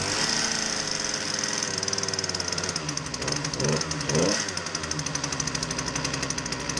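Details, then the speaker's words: Poulan Pro PP338PT consumer pole saw, 33cc two-stroke, with a customer complaint that it runs poorly. It buzzes unevenly, hunting and sputtering instead of holding a steady speed; rough running, cause not yet diagnosed. "So the customer was right. It doesn't run very well."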